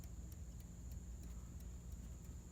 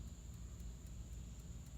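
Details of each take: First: 1954 Chevrolet with fried dash wiring, old dash clock that never worked, set to noon: light, steady ticks about three a second over a faint hum; clock now ticking normally. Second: 1954 Chevrolet 210 (chopped, Bel Air trim), during rewiring under the dash after the wiring fried: the dash clock, which never seemed to work, is now running with an even tick about four a second over a low hum.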